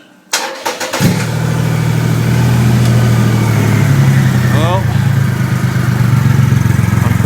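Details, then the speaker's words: 2008 Triumph Rocket 3 after the starter relay mod, second start to compare starter revs: quick, strong starter spin catches and settles into an even idle, no dragging or hesitation; starter sounds healthy. "turn it off and do it again so we can hear the difference in starter revs right go back on she goes here we go"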